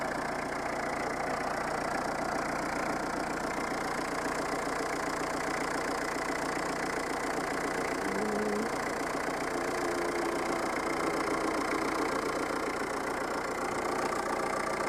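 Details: Peugeot 309 old diesel, warm: even, steady idle clatter with no misses or uneven knocks; lift pump cut off by pressure sensor once running; normal diesel idle.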